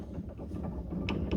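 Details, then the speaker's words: Chevrolet S10 front suspension, ball joint being replaced, boot completely destroyed and dirt inside: a few sharp dry clicks as the joint is rocked by hand, faint against wind; owner suspects the clamp bottomed out without tightening, feels almost metal-on-metal, noise not heard before. "E eu não escutava esse barulho, né? Mas certamente não é correto."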